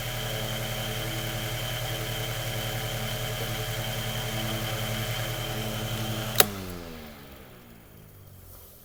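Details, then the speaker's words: Mainstays 9-inch high velocity fan just after lubrication, good spin-down; steady even motor hum with a clean tone and no rattle, then a click and smooth coast-down; healthy. "so we're going to go ahead and go to medium here it's got a very distinct sound to it too"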